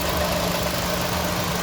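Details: 2014 Chevy Cruze LT warmed up after water outlet (902-846) replacement and coolant refill: steady, even low idle hum with a faint tone, no knocks or misses, and no leaks seen.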